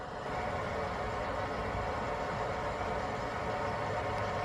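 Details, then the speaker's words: 2019 Ford F250 6.7 diesel after fuel filter replacement, key cycled to prime the fuel pump before starting, engine off; steady, even vacuum-like whir with no pulsing or strain, normal priming. "so there i can hear it it sounds like it's a vacuum"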